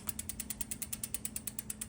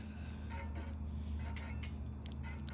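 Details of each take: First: Bicycle disc brake after re-aligning the caliper with a shim spacer tool at the squeaky spot; wheel now spins with steady rapid freehub clicking, about nine a second, and no pad rub or squeak. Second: Bicycle disc brake pads rubbing the rotor after installing new disc brakes, heard as light, rhythmic scraping ticks while the wheel spins; fixed by setting the pads with a brake pad spacer tool.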